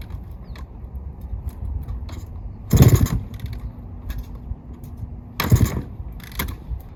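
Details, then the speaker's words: 1972 Suzuki TS185 two-stroke, unrun for about 30 years, new carb and fresh oil, in neutral: two heavy kick-start strokes turn it over but it never fires; no spark, later traced to a failed CDI. "one probably just don't have spark honestly that's the one thing I didn't check yet on this bike I'm sure that that's the issue"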